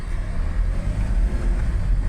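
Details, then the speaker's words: 2016 Hyundai Starex H1 2.5 CRDi D4CB diesel, automatic, rear-drive, test drive after timing and hydraulic lifter replacement for knock; steady low drone pulling evenly on throttle, no knocks or misses, responds pleasantly. "Так приятно набирает так она откликается на ГАЗ"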